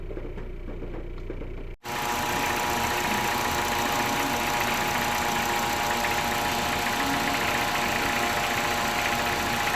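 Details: Car with a year-long worsening rough idle and fault code P1519, after cleaning the IACV; fine for 30 minutes parked, then rough again: uneven lumpy beat about four times a second with busy mechanical clatter. Owner plans to see a mechanic.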